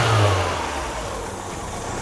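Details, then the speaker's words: Mazda Miata, throttle blips: revs climb, sag back, then pick up again instead of falling cleanly, with a miss on the final rev; idle also fluctuates about 100 rpm; rev hang and surge, cause unknown. "So, when I rev, it's slightly should be slightly delayed and the engine will rev down and come back up. That's the problem it's got."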